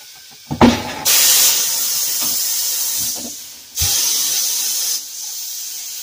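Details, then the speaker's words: Pneumatic tire machine being repaired after a part had been blowing air and not working, valves not yet fully bolted: sharp air hiss bursts starting and stopping cleanly as the pedal works the bead breaker cylinder; working normally. "Those tires probably, this bead probably hasn't been broken off in probably 20, 30 years. Hell yeah. Tire machine. Sounds like the tire machine is working."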